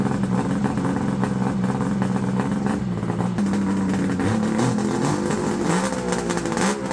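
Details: Fire-damaged Ski-Doo Summit Mach Z triple two-stroke sled after restoration work: a buzzy note rises and falls as the throttle is blipped, picking up cleanly each time; it runs and revs normally.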